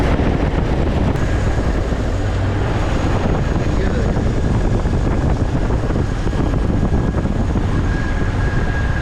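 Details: 1999 Jeep Wrangler TJ after a new serpentine belt and pulleys were installed, replacing a dry old pulley bearing: steady engine run with a low even drone and a faint constant tone, no belt squeal or chirp. Normal belt drive.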